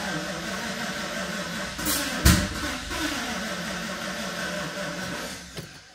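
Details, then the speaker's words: Mercedes R129 SL500 / W124 E420 no-start: cranking, then one sharp loud pop about two seconds in coming out of the throttle body and airflow sensor; intake backfire, cause undetermined. "you heard a major major pop coming out of the throttle body out of the uh out of the airflow sensor and um really really weird situation"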